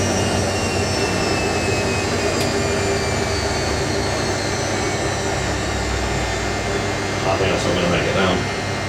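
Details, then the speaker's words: Hotpoint 9530 Electronic 1000 Plus washer spinning a twin bedding load after repair (burnt neutral wire on mains lead replaced): steady, even, super smooth spin hum with no thumping, rocking or bearing rumble; normal smooth spin. "[Music] so wonderful super super smooth foreign"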